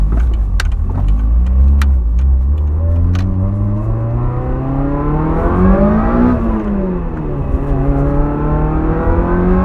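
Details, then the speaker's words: 1989 Toyota MR2 Supercharged, driving: the engine pulls and eases off with a steady supercharger whine rising and falling with the exhaust note; a healthy supercharger under load. "charger wine never gets old"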